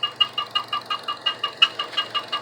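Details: 2012 Chevy Cruze at idle with a sharp high-pitched squeaking chirp about five times a second in even rhythm; valve cover replaced four months earlier; later found to be two loose spark plugs.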